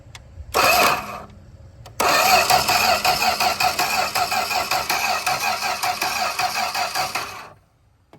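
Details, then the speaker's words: 1965 Plymouth Barracuda slant 6, parked since 1994, gas poured in: starter spins engine steadily at roughly three pulses a second for five seconds but it never fires; crank no start, ignition being checked. "Still not acting like it's wanting to do anything at all."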